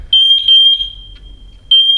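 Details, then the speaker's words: MatElec wireless smoke alarm after the smoke was cleared: a loud, shrill, high-pitched pulsing alarm keeps sounding until silenced by button, unlike the hard-wired units, which stop on their own; the alarm keeps sounding after the smoke cleared. "every other alarm if you cleared the smoke it would stop St them all but for some reason that one a little bit different"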